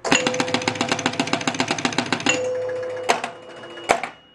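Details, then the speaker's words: 1976 Gottlieb Target Alpha EM pinball, with the scan unit repositioned so the outside snowshoe touches the second rivet: out hole closed, a quick run of even clicks as it scans, then two bells about a second apart, each scoring 1,000 for an outside drop target. "i'm going to close the out hole up here manually and listen for the two bells as this thing scans here it we got the two we got both of those outside targets the out the last the first and last targets"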